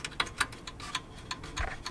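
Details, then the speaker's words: Acura RSX underside, rusty catalytic converter heat shields: light tinny metallic ticks at an uneven rate over a faint low rumble. The loose shields rattle and are to be fixed with hose clamps front and back. "It's just rusty old shields, heat shields here. So we're just gonna put a clamp in the front and in the back here."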